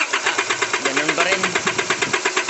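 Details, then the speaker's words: Isuzu 4JK1 diesel with hard starting, misfire and white smoke, injectors being diagnosed: strong fuel return flow, rough clattering idle; all four injectors leaking, removed for calibration. "Ang lakas talaga ng backlick niya. Yung flow sa return kahit walang wiring connection. Naglilik yung injector natin."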